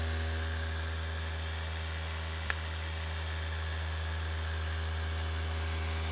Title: Abnormal sound after replacing CPU fan